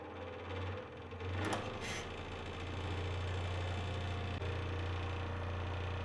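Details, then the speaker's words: Dewalt DW788 scroll saw after disassembly and knocking fix, blade tensioned; smooth, even low hum with steady blade strokes and no knock in the rhythm, running normally. "No more knocking. Sounds great."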